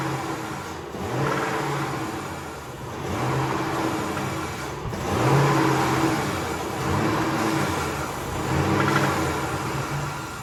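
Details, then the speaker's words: Engine's first start after a major repair, coolant pressure tester fitted and a transmission cooler line left undone: surges and sags unevenly about every two seconds, running rough from a vacuum leak. "oh she runs rough i don't like it don't like it"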